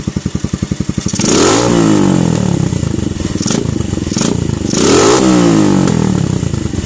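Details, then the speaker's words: Keeway CR152 single-cylinder motorcycle, stock untouched jet with bullet pipe: thumping idle, then revs rise and fall with crackling exhaust pops on overrun; constant backfiring, to be fixed by Nibbi 28mm carb tuning. "So ang nangyayari, parating nagba-backfire. So i-try natin. Ayun, so meron siyang diesel pop na lumalabas."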